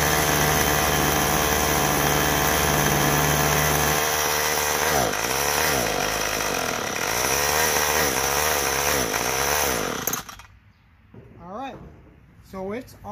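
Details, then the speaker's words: Troy-Bilt TB32EC two-stroke straight-shaft trimmer on choke: buzzes, surges and wavers as throttle comes in, then cuts out about ten seconds in; stalls when throttle applied, carburetor needs adjustment. "the choke all the way and as soon as you go to give it gas it is stalling out that's what's going on with it"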